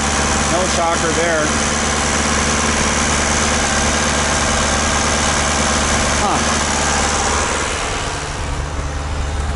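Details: VW Mk2 diesel after new fuel return lines, running with lift pump fuse pulled, smoke off exhaust manifold: lumpy stumbling uneven idle about three beats per second; runs rough, won't accelerate, cause not pinned down.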